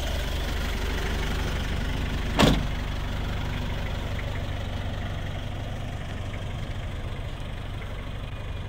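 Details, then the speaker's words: 1995 Isuzu Elf Outback Express diesel camper van: after a brief throttle bump, the engine settles into a steady, even diesel clatter at idle with no misses or knocks, sounding healthy. "Give it some gas. And that's it, diesel, baby."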